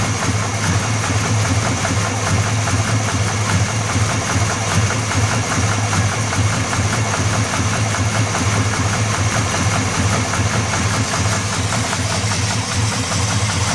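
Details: Buick 350 engine at idle: steady idle with a hard, regular knock riding on the low rumble, a couple of raps per second; knock in the bottom end.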